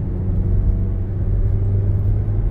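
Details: Mazda CX-5 2.0, after fixing P0302 cylinder 2 misfire and P2302 ignition coil A codes by replacing an injector; coil fitted is non-original. Smooth, even low rumble pulling cleanly with no stumble under throttle: normal acceleration.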